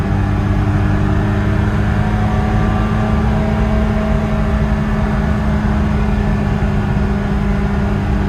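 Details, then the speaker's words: 1974 BMW E9 with aftermarket exhaust, driving after downshifting into third: steady engine drone with a thin tinny whine on top; source of the whine unclear. "a little whiny."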